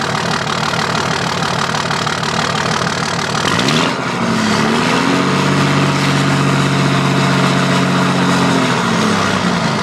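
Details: 2005 Dodge Cummins diesel with rough, lumpy idle and uneven beat; dead cylinder misfire from a bad injector not firing.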